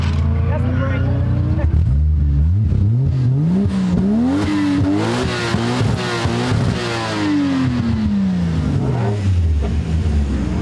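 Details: 1990s Toyota Soarer drift car after fixing a slit fuel pump hose that caused cutting out from low fuel pressure, rusted tank still fitted: pulls cleanly through the revs, pitch rising and falling smoothly, no misfire or stumble; running healthy.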